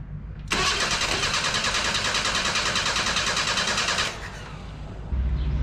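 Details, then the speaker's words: 1977 Datsun 710 pulled from salvage yard, first start attempt: starter whirs about 3.5 seconds without firing; no spark because the distributor-to-coil ground wire was disconnected. "it helps if you hook up the wire to the distributor that's gonna send your ground to your coil"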